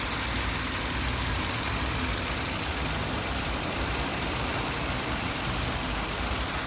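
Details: Uneven rattling knock like marbles shaking inside a rough-running engine; internal knock, cause unknown.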